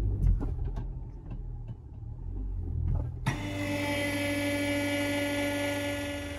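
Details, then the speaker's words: 2015-2020 Hyundai i20 underbody: irregular light metallic tapping and banging over a low rumble from a broken, loose exhaust heat shield between body and exhaust; fix is to secure the shield. "anyway what happens on these sometimes is there's a shield between the body and the exhaust so Shield is here exhaust is there obviously The Shield is to deflect heat we from the body and this one is loose because it's broken"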